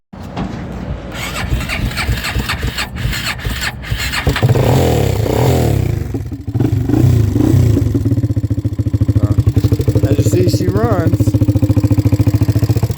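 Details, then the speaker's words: Abused Kawasaki KFX400 single-cylinder ATV with missing cam cap bolts and dirty carb, missing a motor mount: settles from start into quick thumping idle with light clatter on top; loose cam caps causing top-end valvetrain noise. "it does have a little bit of noise up here so you know there are some loose you know and it's missing a motor mount there"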